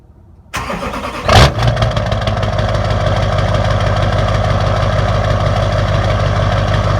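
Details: LB7 Duramax diesel, cold start: cranks and catches, then settles into a loud, uneven clatter at idle, blamed on bad injectors.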